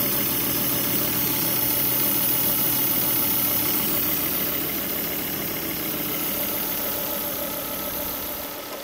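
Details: Volvo V70 on its first start after an air filter fire, running with no air filter fitted: a steady, even idle with a slight fade and no ticking or stumbling. It died on a 100 km/h road when the filter caught fire. The finding is normal idle.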